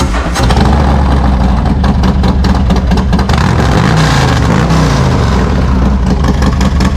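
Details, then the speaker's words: Harley-Davidson Road King Special in a closed workshop with road-legal Road King short-shot exhaust, mufflers off: loud, deep, choppy V-twin bark with throttle blips, louder because indoors; running healthy, loud exhaust. "it's a bit louder because it's inside here"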